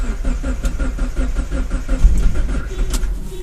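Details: 2004 Mazdaspeed Miata, pro-tuned on Hydra, cold start at about 45°F after the fuel pump primed, first crank attempt: regular cranking chug at roughly four to five beats a second with no catch or fire, then it stops. Cranks but no start.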